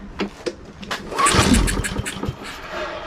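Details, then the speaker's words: Husqvarna AWD push mower stored in a barn three years, recoil pulls with fuel poured in: spins and gives a brief sputter that dies; cranks but won't start, suspected not getting fuel, carburetor cleaning next. "It's just not getting fuel yet. I am probably going to take the car off and go ahead and clean it, so that'll be the next step"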